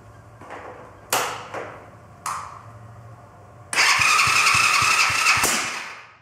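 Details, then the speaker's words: Chinese quad bike with small engine: sharp pops between cranking attempts, then a burst of fast cranking that never catches; backfires and won't start, cause unknown. "but she's still backfiring and won't start so if you know what that problem is stick it down in the comments guys"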